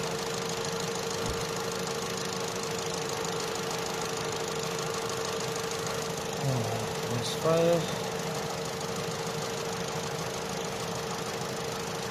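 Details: Opel/Vauxhall Astra J 1.4 after new spark plug and ignition coil for a cylinder 1 misfire: quiet, even idle with a steady hum, no stumble or miss; misfire counts zero on all cylinders.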